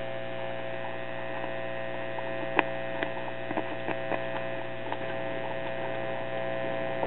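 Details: Truetone or Newcomb B100 tube radio, probably late 1940s to early 1950s, powered up warm from a variable supply. Steady low hum with fixed buzz and faint crackles, no station; only the audio amps work; mains hum, no reception.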